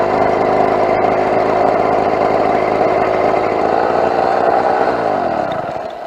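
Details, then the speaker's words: Two-stroke motorbike (Mk4) idling at roadside with completely blown exhaust gasket: sharp, raspy chuffing at each firing pulse, about four a second, from the exhaust gasket leak. "Wow all right so quick stop by the side of the road I have completely destroyed that exhaust gasket"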